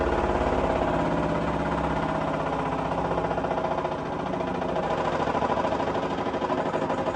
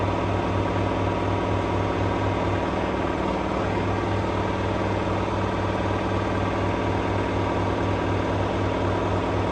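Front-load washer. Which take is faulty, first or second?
first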